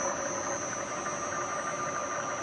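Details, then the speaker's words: Acra Bridgeport-clone mill head after worm drive gear repair for the power quill down feed and a new belt: steady whine holding pitch over the motor hum as the head runs, the newly fitted belt noisy. "at that belt got a little bit of noise to it I put the new belt on"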